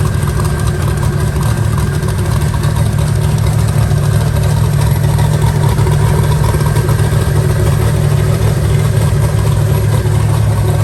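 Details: Eagle Talon rewired and converted from Pro EFI to Holley: a steady, even idle with a smooth low beat and no misses or stumbles, hitting on all cylinders now.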